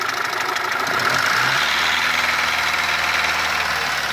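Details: Mitsubishi 1.3 petrol engine after a rebuild with cylinder head and block replaced: irregular light tapping knock over a busy idle after a brief blip, not clearly tied to one cylinder; cause unclear.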